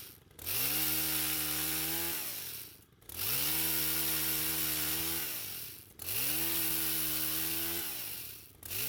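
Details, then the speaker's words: Stihl pole saw stored for years that started but would not stay running, after carburetor repair: starts readily and revs cleanly in repeated bursts, settling to a steady idle each time; runs normally. "Well, as you just saw, it started without any issues and it works great."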